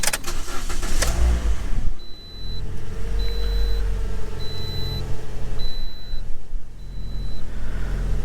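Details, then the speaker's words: 2010 Toyota Corolla after replacing all four ignition coils (two were bad, causing misfire): engine cranks, fires and settles into a steady, even idle with no stumble and no engine code, dash chime beeping; normal idle. "No longer throwing an engine code. It seems to be idling just fine. That's perfect."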